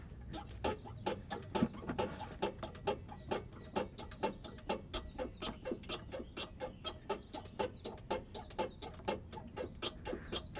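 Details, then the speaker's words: Front-suspension squeak on a 1998 Chevrolet Cheyenne K2500 4WD (GMT400), driver's side, while a helper bounces the front bumper: sharp regular chirping squeaks that muffle when the upper shock is grasped. Cause: failed front shock absorber upper mount bushing. "whenever we grasp the upper shock shroud it gets muffled it doesn't really do anything by grasping the the lower part of the damper itself definitely gets muffled along the top so we found the source for sound it's the shock absorber"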